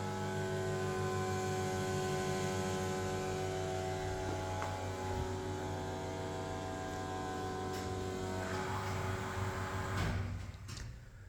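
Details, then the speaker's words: 1989 Kone rope hydraulic elevator in a Copenhagen apartment, recorded in the machine room: steady low motor hum with an even whine that winds down and stops; normal pump run. "Yeah, if you don't know if you can hear it properly, but that is the sound of a rope hydraulic elevator."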